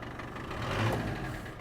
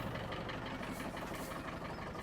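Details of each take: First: Land Rover Defender 110 diesel during a rebuild, before its MOT: steady, even idle with a low, regular beat and no knock; barely smokes, a little under load; exhaust rattles on the mud flap; engine running healthy. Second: Land Rover Defender 110 diesel at idle: fast buzzy rattle from the rear, exhaust resting on the mud flap; needs rubber spacer. Barely smokes, a little under load.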